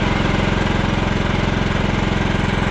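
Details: 2001 John Deere LT133 lawn tractor, 13 hp Kohler Command single-cylinder, running after voltage regulator and used stator fitted, charging 14 V: even, steady chug at constant speed, no misses or knocks; running smoothly.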